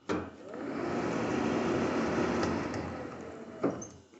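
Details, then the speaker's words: 1980 Triumph TR7 during electrical restoration after contact cleaning and soldering: a steady, even whoosh of air rises as the heater blower fan comes up to speed and holds smoothly; the heater fan works normally. "Now, the heater works, like the heater fan. I don't know which one of these things makes it go."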